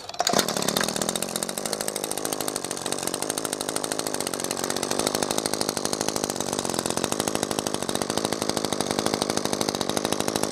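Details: New Echo SRM-2620T two-stroke line trimmer, first start after possible flooding: fires up, steady high buzzy idle with even beat, no sputtering; running normally.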